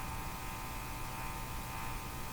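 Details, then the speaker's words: Hallicrafters TW2000 communications receiver after replacing faulty IF transformer with NOS part: constant buzzy hum with steady tones, unchanged by booster; suspected open-circuit feed to an amplifier grid, not confirmed. "you know what that sounds like? That sounds like an open circuit feed to a uh to grid to an amplifier grid."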